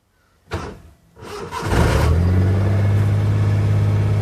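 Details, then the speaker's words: Maruti 800 after ECU repair that had caused no check-engine light and no start: brief cranking, a catch, then a steady even low hum that settles quickly; it starts cleanly and idles smoothly. "cranking and started as you can hear the car started and running smoothly let me do it one more time it starts perfectly"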